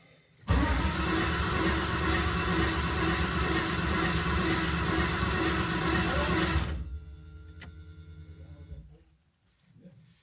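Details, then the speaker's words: New LS V8 in a 1988 Ford Bronco swap: starter spins engine fast and evenly for about six seconds, builds oil pressure, but never catches; cranks well yet won't fire, cause unknown. "So we're having an issue. It's not starting. It's cycling over really well. Everything sounds good there."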